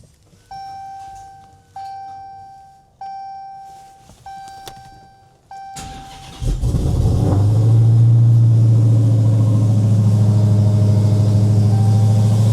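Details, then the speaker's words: Supercharged Dodge Demon started for the first time after installing a Mighty Mouse Gen 6 oil catch can: dash chimes, then the V8 fires with a sharp bark and settles into a deep, steady, even rumble; a normal start and idle. "Alright, it's on and running. Everything seems fine so far."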